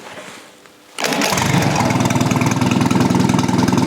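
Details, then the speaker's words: Old Rusty engine after correcting firing order, carburettor and ignition timing; mic beside unmuffled exhaust; brief crank, catches at once and settles into a steady, even beat; starts easily, runs smoothly. "I think this is pretty good. And it runs very smoothly, as you can hear. I'm now next to the exhaust and I have no muffler on, so this sounds real good."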